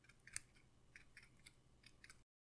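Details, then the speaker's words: Seiko SKX automatic watch held against the mic and shaken: light, irregular metallic ticks as the winding rotor moves up and down within its bearing play, a normal rotor rattle. "that actually was the rotor like moving vertically up and down not just winding but moving up and down which is that's not its main purpose but it is a consequence of the amount of play that the bearings have"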